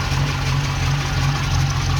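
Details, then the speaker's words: Ex-NZ Army V8 Land Rover after replacing military ignition with Mallory coil, optical distributor, cap, rotor and ballast resistor: steady low V8 burble at idle, even beat, no misfire or knock; idling smoothly. "all right she's all back together again and running"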